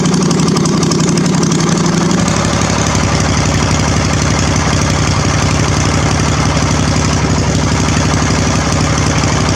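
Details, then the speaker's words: Briggs 21 hp V-twin LT1000 mud mower with no exhaust fitted: fires, then a loud, raw, crackling V-twin beat settles steady and even; engine healthy, just completely unsilenced. "I'm going to lower it down now so we can hear it without exhaust, with the first part of the exhaust, and with all the exhaust. Okay, let's fire it up, and this is with no exhaust."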